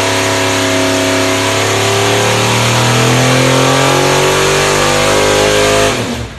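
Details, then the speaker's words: Mild 434 ci Pontiac V8, small cam (~229° at .050, ~600 lift), making 600 hp on the dyno: loud, clean roar holding steady at full throttle, then dropping off to a choppy idle; healthy engine. "All right, so you could hear how not very radical engine at all. You can hear it idle at the end there, just kind of a chop chop idle. Fairly mild engine."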